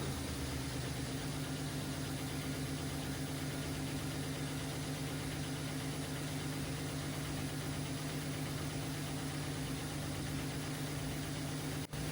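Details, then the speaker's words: MGB GT with a swapped Jaguar AJ30 V6, restarted after the first startup and leak, coolant and oil checks: a steady low idle with a slightly lumpy, uneven pulse and no clear misfire pattern. It runs better but is still not quite right. "Still not quite right, but it's definitely running better."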